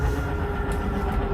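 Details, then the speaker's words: 2022 Coachmen Catalina 343BHTS travel trailer, bedside slide-out motor drawing the room in: steady motor drone with mid-pitched whine and gear rumble. The little gear-grinding noise at full extension is normal operation. "but just know it's normal [Music] you hear that little gear grinding noise you know you're fully extended It's Perfectly Normal"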